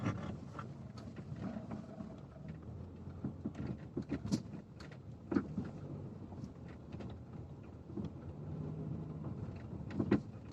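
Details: Lada XRAY Cross while driving: irregular sharp knocks over road rumble from the steering, appearing after a dealer visit; caused by a loose steering shaft spline bolt the dealer failed to replace.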